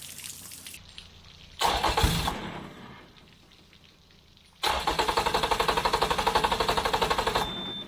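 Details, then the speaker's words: Yamaha outboard on 1980/81 Sun Tracker Party Barge pontoon, water hose on, before carburetor cleaning; catches, falls flat and dies, restarts with even chug about four per second then cuts out: fuel starvation, fuel tank vent closed, primer bulb not soft. "that's exactly what it was doing to me yesterday of course it might help if I had the fuel vent open bulb wasn't soft"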